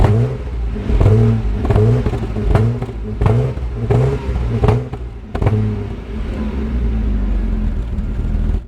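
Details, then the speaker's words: 1997 Jaguar XJ6 X300 XJ Sport 3.2 5-speed manual, after replacing the crankshaft position sensor: pulls away and revs in even swells that rise and fall cleanly with the throttle, no misfire or stumble; normal running. "and as for the Jag well I gave my Ms the privilege of driving her home plays like a kitten"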